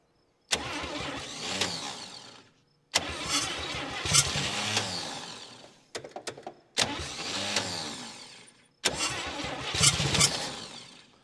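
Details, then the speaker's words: 1959 Chevy Biscayne 6-cylinder, freed after being seized through about 20 years of storage, day three: five separate bursts of laboured cranking dying away without catching. Owner says the starter isn't helping and decides to charge the battery. "come on baby the starter just isn't isn't helping me here at all I'll charge the battery a little bit and see if that'll help it"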